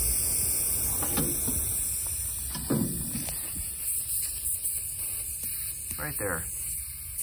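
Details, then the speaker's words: 2015 Bentley Continental Flying Spur, 11,000 miles: short bursts of hissing as air is blown into the air suspension strut and escapes where it shouldn't; leaking air strut needing replacement. "utely nothing i fill it up and air just squeaks right out of there it's not evenly it sounds like it was coming from up here but it wasn't i just put air through here and that's where it starts coming out"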